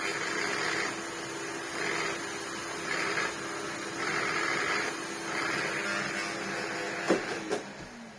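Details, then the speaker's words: Electrolux power head vacuum: steady motor hum with a rougher whirr cutting out in repeating bursts each time the head meets the floor; brush roll stops spinning when put down, stalling under load, and had caused issues before. Cause not yet confirmed. "I went to use it the other day and realised that it has a problem. It sounds awful, And what it was doing, I don't know if I can make it do it now. It has done it. As soon as you put it down, the brush roll stops spinning."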